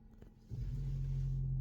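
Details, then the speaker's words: Mercedes-Benz ML W164 AIRmatic air suspension, compressor self-test via Xentry, heard from outside: after a short pause a low, steady hum starts and holds evenly without knocks or rattles; compressor works flawlessly. "сейчас вот заработал слышно снаружи"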